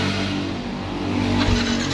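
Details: Yamaha Vixion (about 2016–17) that died suddenly, no MIL code: starter cranks briskly and steadily but never fires; no spark at plug lead, traced to water in the ECU connector.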